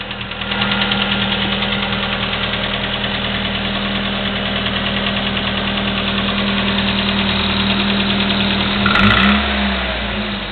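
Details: Chevy S-10 2.2L at 154K miles with Flowmaster 40 exhaust, clicking for the last 45K miles: steady idle with fast light ticking about three per second; valve train clicking at idle.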